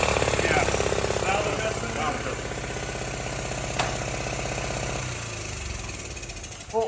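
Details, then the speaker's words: 1979 Honda Z50R chopper mini bike found stored among snowmobiles; fast, uneven single-cylinder chatter with sharp pops and a stumble before dying. They suspect intake popping from a lean vacuum leak; valve adjustment also considered. "all right I don't sound so good to me these are bad for uh yeah I'm wondering if it's coming out a uh intake that popping together"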